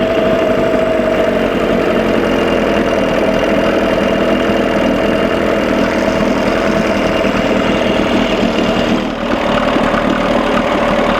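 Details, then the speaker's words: 1987 Johnson 6 hp two-stroke outboard after carburetor linkage repair, mixture about one and a quarter turns out: steady, even buzz with constant beat, no misses or knocks; smooth idle, though it runs too cold. "I've got it set at like one and a quarter turn out sounds good"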